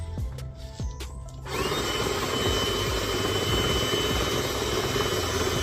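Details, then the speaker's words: VW Polo Mk2 speedometer cluster removed and spun by cordless drill up to 40: steady drill whir, cluster quiet with no screech, so magnet drive is fine; owner suspects the speedo cable. "is going up it's not really making any noise it's a bit quiet the only noise I'm having is a drill"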